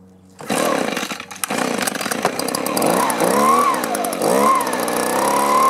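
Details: Echo two-stroke blower with an aftermarket carburetor, after a new plug and half choke: catches after a few stutters, then hunts and surges unevenly; fuel starvation, owner suspects a clogged or gummed carburetor.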